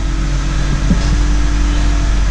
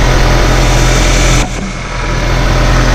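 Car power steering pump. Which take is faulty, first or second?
first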